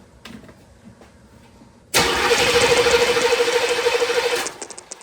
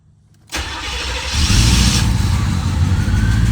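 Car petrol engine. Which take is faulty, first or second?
first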